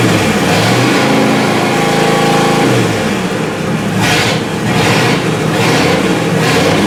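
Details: 1955 Buick, first start after distributor gear replacement, static timed at 5 degrees, points cleaned and reset after hit-and-miss running, hot-wired via ballast resistor: even running with clean quick throttle blips, no misfire, slightly warmed up.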